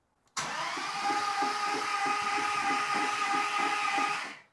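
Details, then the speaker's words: 2009 Dodge Challenger SRT8 with 53k miles; the engine had been locked up and is cranked over with plugs out to free the rings; steady starter whir with light rhythmic chuffing and no firing, sounds odd; abnormal cranking noise, cause unconfirmed. "Trying to get the rings to do their thing. Something sounds funny, but it sounds funny, but we'll see."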